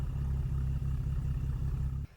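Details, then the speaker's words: BMW N55 with new plugs, injector and gaskets, old coils; idles fine but misfires when revved, uneven stumbling pulse and shaky low note; misfire on cylinder 5/3, with smoke and coolant loss; owner suspects head gasket or warped head/block. "When it starts up, it doesn't misfire, it idles fine, but when I start revving the car, then cylinder 5 starts misfiring."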